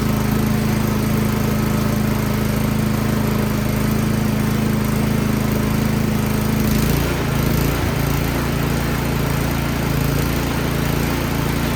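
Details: Troy-Bilt Storm 2410 snow blower single-cylinder engine, started with choke, unprimed, after carburetor cleaning (fuel had sat, clogging carburetor; new gas mixed with old): runs at a steady even pace about seven seconds then settles, running normally.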